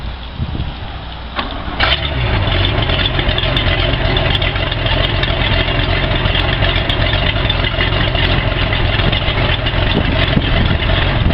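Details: Boat engine after dewinterizing and a starter replacement, following the boat filling with water over winter: a brief crank, then it catches quickly and settles into a steady, even idle with no misses, now starting normally with the new starter.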